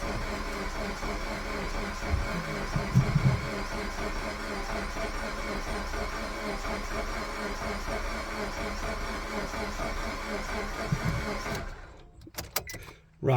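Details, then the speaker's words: Suzuki Swift Sport bought from Copart, push-button start: steady starter cranking about eleven seconds with no catch or rise in revs, turns over but never fires; cause not yet found. "so we're cranking sounds like it wants to go on but it's not so we're gonna have to do a bit more digging and see what we can find out"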